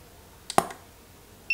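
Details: Godox SK400 II studio flash after repair of Error E3 and low power fault, test-fired: one sharp pop then a clean steady high ready beep about a second later, normal recycle.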